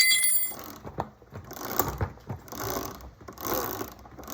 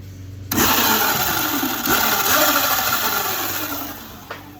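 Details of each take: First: Razor electric minibike with Midwest Minimod 5-inch extended swingarm, 72V, #35 chain, after tightening the chain: light, even whirring and ticking from the spinning rear wheel, no slapping or bouncing; earlier grinding from a loose chain gone. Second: Modded Razor electric bike with a 5-inch extended Midwest minimod swingarm: the motor spins up under a rough, gritty grinding over its whine, caused by a loose drive chain, before the chain is tightened.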